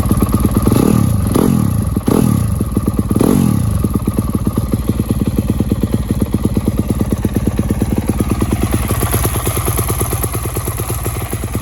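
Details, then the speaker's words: First start of a newly bought used 2019 Yamaha YZ250F: a few sharp throttle blips, then an even thumping idle with a tinny, rattly exhaust edge. The titanium exhaust is suspected loose and needs tightening; the kill switch is broken. "It sounds like this exhaust right here is loose. Yeah, so I'm gonna need to tighten it up."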